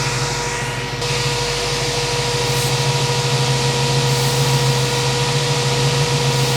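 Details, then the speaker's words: 1967 Ford Mustang 302 carbureted V8, about 20,000 miles since rebuild, never tuned, idles with a steady hiss and uneven slight lope. It does not die with both mixture screws all the way in, indicating a vacuum leak. "So, all the way in both mixture screws should die. There's a vacuum leak somewhere."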